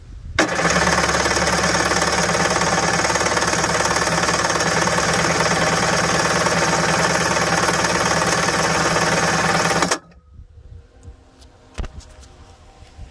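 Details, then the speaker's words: 1991 Kawasaki 550SX jet ski at its first start attempt after about six years in storage, fuel on and choke on. It cranks strongly for about nine seconds but doesn't fire, and the owner thinks the fuel still needs priming. "okay so fuel on choke on and nothing yet but it will definitely have to prime the fuel"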